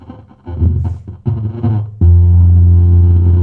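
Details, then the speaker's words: Tower home theatre playing music: harsh, buzzy, distorted (cracked) sound with dull top end, front tweeters not sounding; amplifier fault suspected, not yet confirmed before opening. "ये देखो फटी फटी सी आवाज आ रही है ना, ना हमारे ट्विटर बज रहे फ्रंट के।"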